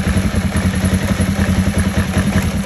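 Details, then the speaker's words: Kawasaki ER5 twin with CDI ignition, warm: idles okay but turns lumpy and uneven with a low throb when revs are applied and won't rev; owner plans to check the plugs and coils. "so as you can hear a 1980s twin car that was ticking over okay apply the revs and there you go"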